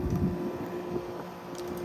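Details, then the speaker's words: Carrier UC series 8,400 BTU window air conditioner: loud steady drone with fixed mid-pitched hum and fan rush; excessively noisy, cause unconfirmed. "This looks installed pretty crappy. You know what? Why is this thing so freaking loud?"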